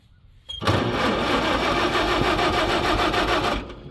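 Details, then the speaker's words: Farmall H tractor, out of gear, choke set and throttle up on first crank; they say they flooded it by choking. About three seconds of even cranking, roughly four beats a second, no firing: cranks but won't start. "Where'd it choke? Well, we flooded it. I'm trying to crank it when it was."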